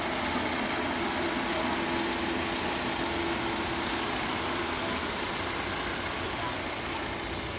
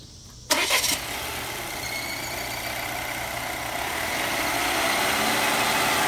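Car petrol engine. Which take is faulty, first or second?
second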